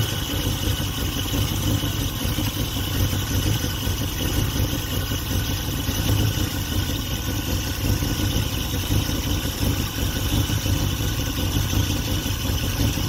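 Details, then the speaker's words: Dodge Ramcharger sitting about 16 years, fed from a gas can: low uneven lumpy idle with a wavering beat. Runs rough from fuel starvation because the mechanical fuel pump has failed; an electric pump is to be hooked up. "All right, it's not pumping fuel, so let's hook the electric fuel pump too. We got a bad fuel pump on here."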